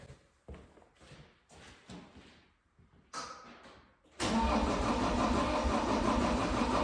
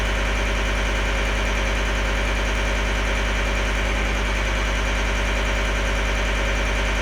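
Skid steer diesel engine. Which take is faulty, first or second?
first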